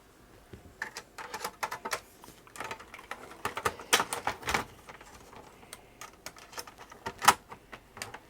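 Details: Amiga 600 after re-capping, game disk inserted: quiet room, irregular bursts of sharp ticks and clicks as the floppy head steps, drive seeking and reading; game then crashed, disk condition unknown.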